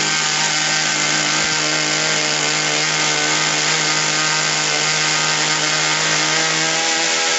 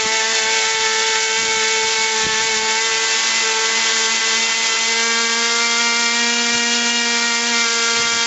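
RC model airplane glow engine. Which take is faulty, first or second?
first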